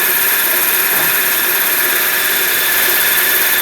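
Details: Manual-gearbox car idling with a steady high-pitched whirring squeal from the clutch that sharpens when the pedal is pressed, worn clutch release bearing; warning that the clutch kit needs replacing.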